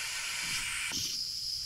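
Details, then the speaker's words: Antique brass walking beam engine running on air after a new slide valve rod and steam chest cover: a steady high hiss from an expected leak at the valve-rod gland, whose packing nut is not yet fitted. "now our slide valve just went ahead and caught and if you can see down here it's bubbling you can't see it so we do have a leak at the top but that's expected because our packing nuts right here"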